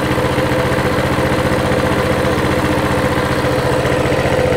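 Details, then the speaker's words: Coleman CT200 mini bike with non-adjustable carb, throttle return spring left off: single cylinder settles from 1900 to about 1750 rpm, quick even putter with no misses or knocks; normal idle after adjustment. "still a little high i can tell already yeah we're at 1900 that sounds better 17 30. on the money 17.50 it's sitting right at 17.50"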